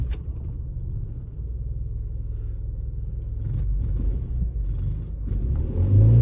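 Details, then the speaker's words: Opel Zafira A on petrol: lumpy, uneven idle staying ragged as revs rise; misfire persists, stored sensor signal error (later identified as crankshaft sensor). "троїть машина троїть це очікувано і передбачувано некоректний сигнал від датчику роспридвалу в історії"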